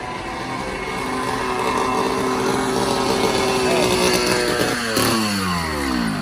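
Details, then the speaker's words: Cheap 80cc two-stroke motorized bicycle engine after cylinder and intake porting and piston skirting, warmed up: loud, raspy bark climbing with revs, harsh open crackle at the loose pipe joint; blown exhaust gasket, to be replaced. "The exhaust is loose. Oh, isn't that so loud? Yeah, come on, pull it next so we can tighten it up. All right, she blew the exhaust gasket out."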